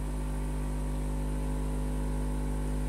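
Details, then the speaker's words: Modified amplifier with 16 output transistors on a 5 A transformer driving a 15-inch speaker: steady low hum with rough growl when bass is pushed, as 5 A transformer is too small; a 10 A transformer stays quiet. "Jadi di sini ada menimbulkan suara yang sedikit ngegrun kalau menggunakan"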